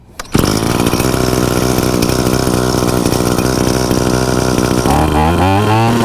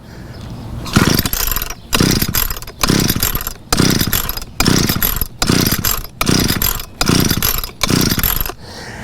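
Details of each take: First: Trimmer (weed eater) started with choke off after cleaning the exhaust screen: fires at once, settles into an even high buzz, then revs cleanly; normal start and run. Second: Weed eater (string trimmer) that won't start: about nine rope pulls, roughly one a second, cranking without catching; clogged exhaust spark arrestor screen causing hard starting.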